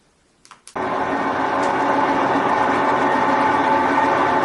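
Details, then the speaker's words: Sears Kenmore Elite (Oasis) top-load washer, before repair: a steady loud whirring roar like a jet engine, getting louder as the drum spins up, with a faint rapid beat; worn drive bearings. "so it's getting louder and louder that it is sounds like a whirring of jet engine and also the agitator in"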